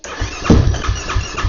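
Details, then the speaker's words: Yamaha YFZ450R quad after swapping in an old spare fuel pump: slow, even cranking thumps about three a second with one stronger puff, then dies; cranks but won't start. Owner suspects incorrect fuel pressure and plans a new fuel pump. "it's like she's trying, but she don't want to hear it."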